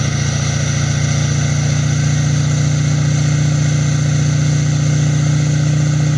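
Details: Duramax LML diesel with a new long block, held at a steady 2,000 rpm outside for a 5-minute break-in: deep, even drone with no knocks or rattles, and it sounds healthy. Normal running at fast idle.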